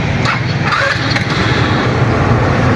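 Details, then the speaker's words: GY6 150cc Microbike EXO150 scooter after fitting a 24mm Keihin carburetor, cold start without choke fitted, about three button pushes: single-cylinder catches and settles into a steady, slightly uneven idle with no knocks; healthy. "So umi-start na yan mga kaboss amo."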